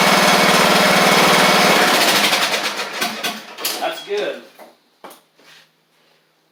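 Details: Craftsman riding mower with new carburetor, fuel lines, tank refitted and battery installed: the single-cylinder engine fires and runs smooth and even for about two seconds, then is shut down; sounds healthy.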